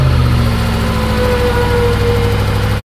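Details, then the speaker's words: 2019 BMW M5 Competition, accident-damaged rebuild, jump-started via cable to new battery, warm engine: smooth even deep idle with no ticking or knocking before shutoff; healthy engine. "je pense que ça sonne bien pas de clicti pas de clicti il fait chaud tout va bien"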